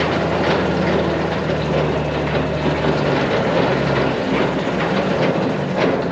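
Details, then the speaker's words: New Mas silage trailer, hydraulically driven apron chain running. Steady low rumble with light even rattle, no snatching or squeal. Chain runs smooth and quiet, normal operation. "One of the things you'll notice is how smooth and quiet this chain runs in this unit."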